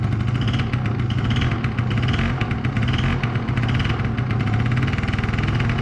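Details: 2005 Yamaha Zuma YW50 two-stroke scooter: uneven sputtering idle with surging pulses that won't settle; hard starting, won't stay running; secondary ignition coil later measured bad, suspected cause.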